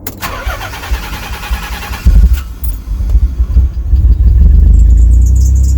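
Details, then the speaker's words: Nissan 300ZX Z32 twin turbo manual, unused 17+ years, first start after replacing worn 550cc injectors and a wet cylinder-4 spark plug that caused a misfire: starts first turn, settles to an even, smooth idle with no miss. "sounds beautiful at the moment doesn't sound like it's missing it sounds sweet so far"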